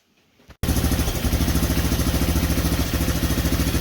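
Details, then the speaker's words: Big Red 200ES single-cylinder, about five years after rebuild, after frame swap and exhaust gasket sealing with welding: putters at a steady, fairly even beat right after catching, sounds all right, carb needs slight tuning. "there she is sounds all right you need a little bit of fine tuning on the car but it is running"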